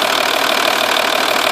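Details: 2.5 V6 TDI diesel idling, cams previously replaced and in as-new condition: rapid light ticking keeping pace with engine speed, loudest from the car's sides and rear passenger side of engine; exhaust gasket leak suspected but nothing visible, source unidentified.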